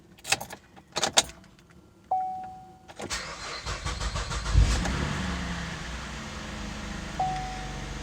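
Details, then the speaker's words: Chevrolet Impala after installing a salvage-yard starter for a no-crank problem; starter turns briefly and sluggishly before the engine catches and settles to idle; a weak battery is suspected and would be replaced. "Okay, so it starts, but I don't know if you guys could hear that, or just, I don't know, it just doesn't sound right to me. It just sounds like the starter is getting a kick in the butt, you know, like to start up the engine. Just kind of seems sluggish to me."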